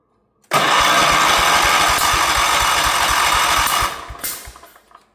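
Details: 1977 Wheel Horse B-100 tractor with a rebuilt carburetor and a new fuel pump replacing the failed old one, given extra throttle: steady chugging cranking at four to five beats a second for three seconds, never catching; cranks but won't start.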